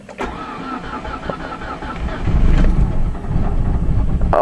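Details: Summit with new transmission, cold start: won't start in Park but starts in Neutral. Starter cranks briefly, engine catches and settles to idle, misfiring slightly as usual when cold. Immobilizer was suspected; cause is a misadjusted shifter position (neutral safety) sensor on the transmission.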